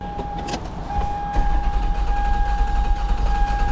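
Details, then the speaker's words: 2001 Toyota Sienna cranking on a weak battery with a steady starter whine but lopsided cadence, cylinder 2 dead (P0302) despite a new plug and coil; the cause turned out to be a burnt valve. "I don't know if you can hear this but it is clearly in the same cylinder"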